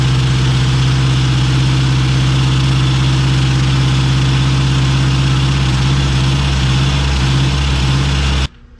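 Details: K24-swapped AWD Honda Civic with built turbo engine, after starter replacement; warming up while cooling system bleeds, front axles not yet in: strong, steady low drone, even firing, no valvetrain ticking or knocking until shut off — normal idle.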